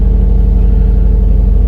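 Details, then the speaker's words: 2004 Nissan Maxima that stalls and won't restart, with bank 1 sensor 2 O2 codes and a bank 2 camshaft position sensor code: steady, even low rumble at an elevated idle that is slow to come down; idle too high. "so let's take a look at the fuel trims on this scan tool i mean she really idles way up"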